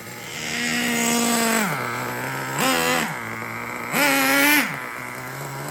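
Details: Traxxas T-MAXX 3.3 nitro engine, pull-start conversion, on a cold start after replacing front and rear engine bearings: high buzzy revving settling to clean idle, no crunch or grind that the bad rear bearing caused.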